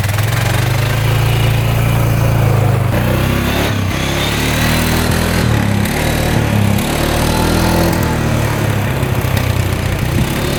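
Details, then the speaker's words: 2013 Polaris Sportsman 550 EFI EPS 4x4 ATV, bought cheap after a dealership wouldn't fix it, test-run after cleanup: steady single-cylinder thump without misfires or rattles; reverse, high and low gears all work, clutch squeaking slightly, probably rusty; normal running. "all right it's running pretty good so all the gears work reverse Works high low both work"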